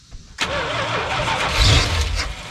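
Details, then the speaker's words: Early-1980s (81–82) Dodge 1-ton truck, sat about two years: brief crank then it catches and runs unevenly a couple seconds only on carb cleaner sprayed into the intake; fires only on starting fluid, out of fuel. "all right so we've got the fire a couple times but only on what I've dumped down his throat"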